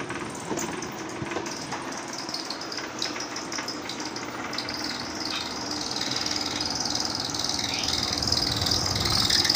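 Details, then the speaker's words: Tower fan about 1.5 years old, noisy at night: uneven scraping chirp about two and a half times a second over the airy rush; the blower wheel shakes instead of rotating normally and rubs its housing. "இந்த ரொட்டேஷன்லாம் ஆகிற அந்த பவுலே வந்து பார்த்தீங்கன்னா ரொம்ப ஒரு ஷேக் ஆகி தான் ஓடுது."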